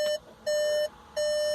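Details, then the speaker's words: Skoda Fabia Mk III automatic, after adjusting the selector micro switch plate, ignition off, selector in neutral, door opened: three long steady high beeps; the warning works correctly and stops when the selector is moved forward to P. "you can hear there's an alarm on the dashboard in the background. If I move the selector forward, the alarm's gone off."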